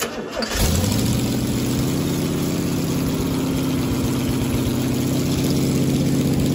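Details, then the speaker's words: 1969 Camaro 396 big block Chevy V8 after fitting a new cam and new lifters, replacing a badly worn cam lobe and lifter blamed for a weak number seven cylinder; cranks, catches and settles into a steady, even, smooth-loping idle with no ticking. "so now i'm just going to go back together with it new cam new lifters and i'm sure it'll run a lot better this"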